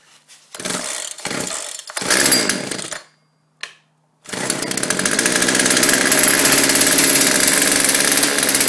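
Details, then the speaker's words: 42cc chainsaw: starts quickly after a few recoil pulls and settles into a steady, crisp high buzz that holds even, running normally. "there's that chainsaw sounds pretty good it started up pretty quick"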